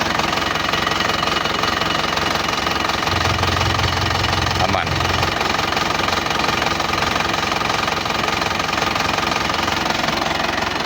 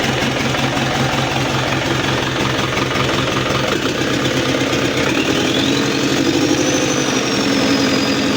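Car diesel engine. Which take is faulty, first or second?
second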